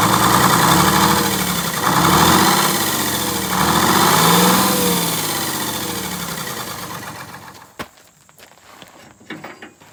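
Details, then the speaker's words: 1947 Silversides bus Detroit Diesel 6-71 during governor and shutdown adjustments: loud diesel idle loping unevenly, about 86 surges a minute, before shutdown; one injector over-fuelling a cylinder; ran smoother after the injectors were all adjusted. "if one of them's got a little more fuel than the rest of them then it's hitting hard it's over fueling one cylinder and that's throwing it off"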